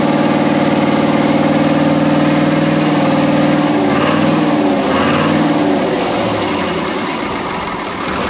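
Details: Brockway 358 truck with Cummins 555 "triple nickel" diesel at idle after valve adjustment (loose injectors adjusted, intake valves tightened): loud, steady idle with even regular beat, no ticking or misses. Running smoothly, never sounded better.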